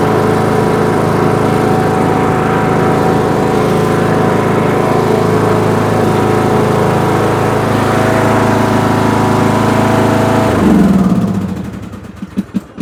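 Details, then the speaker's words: Craftsman LT2000 riding mower, 19.5HP Briggs & Stratton 31P677 500cc single, driven after head gasket replacement: even, steady drone holds speed under load without knocks or misses, winds down smoothly at shutdown; sounds fixed. "Seems all good to me. I don't see nothing. Let's go take this outside and drive around a little bit."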